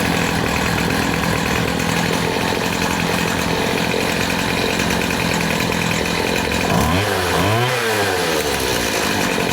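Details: Poulan Pro PP258TP 25cc two-stroke pole saw from an estate sale, long unused, first run after fuel was drizzled into the cylinder. A steady, high, even buzz with no misses or surging. It runs cleanly and still needs fine-tuning.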